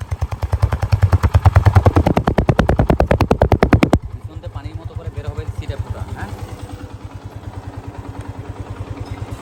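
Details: Yamaha FZ-S V2 FI motorcycle at 45,000 km, piston seized from bad adulterated oil; after replacing piston, cylinder block and clutch plates: quick even exhaust thumps, louder at first, then settling to a softer steady idle with no knock; healthy.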